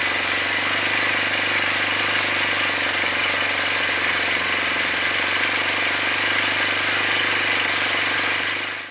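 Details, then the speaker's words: OS FS-60 four-stroke model aeroplane engine at steady high speed before its crankshaft main bearings were replaced in the aluminium housing: a harsh, gritty rattle from worn main bearings. "the difference in the sound of the engine was quite amazing to conclude this episode this is how the engine sounded before i changed the main bearings"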